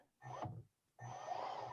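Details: Lawn tractor steering motor after its PWM frequency was raised from 500 Hz to 20 kHz: two short runs with a low hum and soft whir, the earlier squeal gone.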